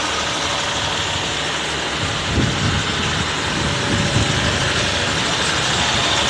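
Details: Mahindra XUV diesel, 198,347 km, after engine decarbonization service: steady, even diesel clatter at idle with no knocks, surges or rattles; runs smoothly, vibration reduced.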